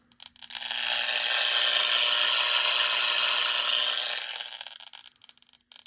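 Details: Old Bluebox HO scale boxcar modified by someone to make sound: hissy electronic buzz swells, holds steady, fades, louder when held closer; owner suspects it picks up stray electricity, cause unconfirmed.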